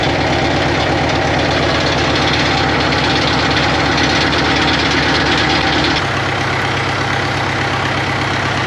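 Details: 1939 Caterpillar D4 crawler, D4400 diesel, first run after rebuild, started by pony motor: chugging with uneven stumbling beat, a cylinder dropping out now and then; engine has a miss, fuel leaks present.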